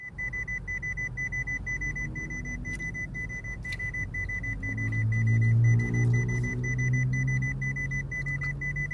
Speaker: pretty constant. Yeah, it's getting worse.